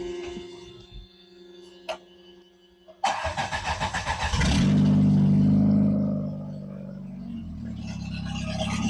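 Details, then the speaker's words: Sundance starting right after timing belt, water pump and tune-up: quiet, then about 1.5 seconds of steady cranking before it fires and settles into a smooth, even idle. Normal start; no funny noises afterward. "It should now start, run, and charge and spin the water pump."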